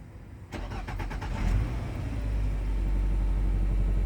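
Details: 2002 Nissan Altima after fuel pump replacement, key cycled to prime fuel: about a second of quick even cranking, fires cleanly and settles into steady idle; fuel delivery working normally again.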